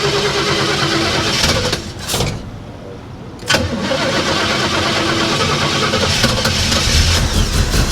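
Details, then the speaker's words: 1965 Oldsmobile Cutlass project car: the starter cranks, the engine catches, then settles into a lumpy, stumbling idle; it is missing badly, cause unconfirmed. "Sounds good. It sounds like shit. It's missing really bad."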